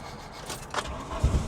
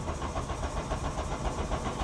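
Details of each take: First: VW Cabriolet abandoned over ten years, cranking with fuel gauge showing empty: uneven low thumps as engine starts to catch, firing irregularly and stumbling; fuel pump, at first silent, began whining and working. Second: VW Cabriolet abandoned over 10 years, cranking: strong, even starter rhythm with no dragging or clicking. Fuel gauge shows empty, likely a bad sending unit from sitting. Healthy cranking.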